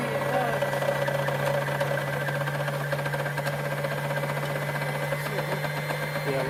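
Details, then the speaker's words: Brother sewing machine bobbin winder after repairing the worn, intermittent winder: steady low motor hum with even light mechanism chatter, no slipping or catching, running normally. "now you'll see the bobbing Winder going around I don't know how long it'll last we'll have to wait and see"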